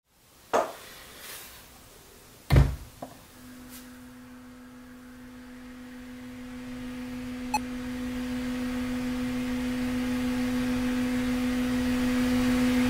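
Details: Korg Volca Sample through the main out of a Tascam Model 12 mixer, noise absent when recording that channel: a few thumps, then a steady low-mid tone under rising hiss; digital noise on audio output.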